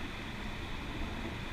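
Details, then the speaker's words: Front wheel hub with brakes removed: steady, gritty rumble from a worn wheel bearing. Owner plans to replace the bearing or the whole hub. "bearing that's that's not good so I think tearing this down is the idea the self in fact that I'm gonna have to replace either the whole hub I'm gonna try to get in there and get the bearing but that so yeah I'm gonna need a wheel bearing"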